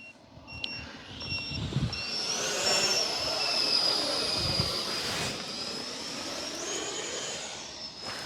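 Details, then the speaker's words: FMS F/A-18 Hornet 64mm EDF V3 on a 4S pack: short high-pitched beeps repeat over the ducted fan's rushing whine. This is the low-voltage alarm as the battery sags. "and gear are just going to be on the doggy it's already beeping"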